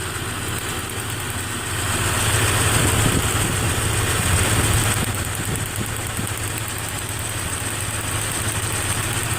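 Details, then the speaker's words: Nissan 3.3 with code P0306, check engine light on, plug wire on cylinder 6 off to check spark (good spark): rough, slightly lumpy idle with an uneven beat, worsening as it warms up. Cylinder 6 misfire, later traced to a bad injector. "it's not missing too bad right now it's got a little bit of a mess in it that's when it warms up I really felt that really bad"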